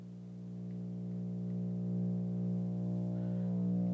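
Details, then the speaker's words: Bang & Olufsen receiver at high volume: a steady low hum with a buzzy overtone, present only on the phono input, with much less on CD and tape; AC hum suspected, cause unknown. "does anybody recognize that hum what the hell is it how do I fix it basically I want to know what's happening here it only happens on the pho Channel"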